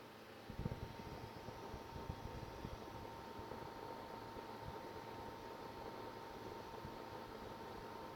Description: I have a buzzing noise at the end of Unigine Heaven with the PSU Corsair AX850 and the GTX680 Lightning. With this video I've verified that the sound comes from PSU.